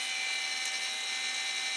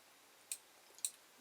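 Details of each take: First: Creality Ender 5 Plus 3D printer ring duct with two part-cooling blower fans at 100% fan speed: loud, steady high-pitched rushing whir with fixed tone, no rattle; pretty noisy, owner plans to tweak to reduce noise. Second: Creality Ender 5 Plus 3D printer with ring fan duct mod, carriage moved by hand to end stop microswitch: two sharp, light clicks about half a second apart in quiet room; end stop switch clicking normally.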